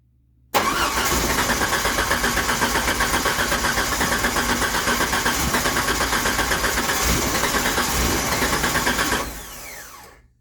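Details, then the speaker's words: 1989 Jeep Wrangler YJ, carbureted, unrun 12 years, new starter and battery fitted: about four even cranking beats a second for several seconds without catching, then winding down; crank no start, owner guesses old fuel needed flushing from lines. "Nothing. Sounds like it wants to."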